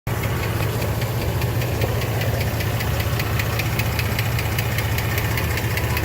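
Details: 2006 Jeep Liberty 3.7L at idle: fast, even light ticking, about five or six per second, from a sticking hydraulic lifter; fixed by replacing all lifters since the sticking one was hard to pin down.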